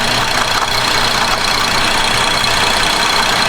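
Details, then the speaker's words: 2011 Buick Enclave 3.6 that starts and stalls with no codes, idling with a connector plugged back in: light tapping about three per second over a busy idle; something hitting near the cam sensor. "oh no there's something hitting this thing oh man I don't know how to show you that"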